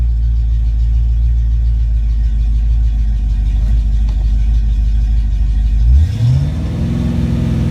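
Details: Ford Mustang Foxbody V8 with rebuilt, tested A9L mass air ECU: steady idle around 800-900 rpm closed loop, then clean rise in revs held smoothly without stumble or miss; normal idle and revs.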